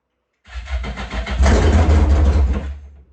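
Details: Yamaha GP1200R converted to a GP1800R, first start of the new engine, speedo cluster not fitted: cranks briefly, then catches and revs with a loud, deep, even bark and no knocks or misses. A healthy start; the fuel line was not installed.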